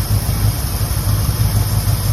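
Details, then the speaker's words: 1969 Ford, 52,000 miles, idling just after first start in 23 years: deep, steady V8 rumble, no knocks or misses; still needs plug wires, burning off oil poured down the cylinders before starting. "still need some plug wires and uh burning that oil that we put down the cylinders burning that out right now"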